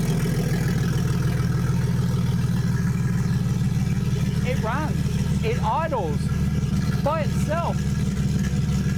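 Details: Ford Falcon, J3 chip plugged into the ECU after finding what went wrong, started in neutral. It settles into a steady, even idle with no misses or knocks, just a low regular hum; not perfect but a baseline. Normal idle.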